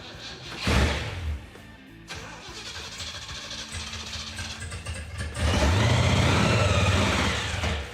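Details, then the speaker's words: 1975 Jeep CJ-5 with a Chevy 383 V8 and a Weiand 6-71 supercharger, hot-wired with fresh gas poured in. The starter churns in uneven bursts but it never fires because the mechanical fuel pump isn't picking up fuel: crank, no start from fuel starvation. "basically the fuel pump should have picked up gas by now and it hasn't you would think it should have"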